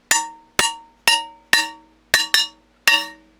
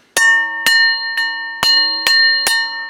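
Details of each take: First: Double-barrel shotgun barrels tapped to check the rib solder: eleven taps ring clear like bells, but the last comes back dull and buzzy because the rib solder has let go at that point. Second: Double-barrel break-action shotgun inspection, barrels tapped up and down: six clean taps about half a second apart, each ringing clearly like church bells; barrels and rib sound solid.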